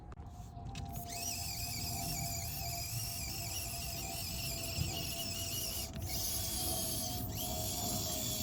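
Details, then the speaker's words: Lunar Rover RC crawler on SCX24 tracks, crawling over rocks outdoors after fitting a new transmission: thin, steady electric-motor whine with soft track rattle, no grinding or skipping; sounds much healthier, drivetrain healthy. "And it just sounds so much healthier with this new transmission."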